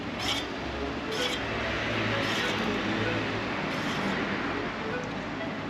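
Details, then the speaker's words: Road bike rear wheel spinning after a crash: light scraping swish once per turn from a bent rear disc brake rotor rubbing the pads, worsening over time; fixed by straightening the rotor with a truing tool until silent. "後輪の方からディスクブレーキのあたりでしょうね。サリサリ、サリサリ、嫌な音が続いてたんですよ。"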